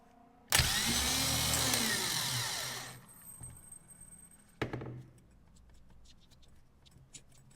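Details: 1995 Gehl 5625SX skid loader diesel starter motor bench-tested: loud, even high-pitched whir spins up about two seconds then winds down; starter turns freely, solenoid still suspected worn.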